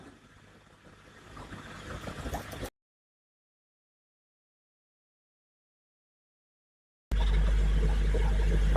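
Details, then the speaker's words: Hygger HG981 10W adjustable air pump on an axolotl tank with airstone and sponge filter, turned down from full: low steady hum with faint bubbling, no rattle or buzz; running quietly and normally. "Absolutely fantastic. So, yeah, you can hardly hear it. There's the bubbles."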